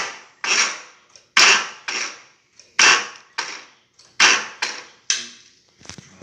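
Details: Harley Shovelhead chopper with Motogadget M-Unit, Harley solenoid rewired and new battery: starter clacks over in slow uneven bursts, under one stroke a second, never catching; poor grounding starving the starter.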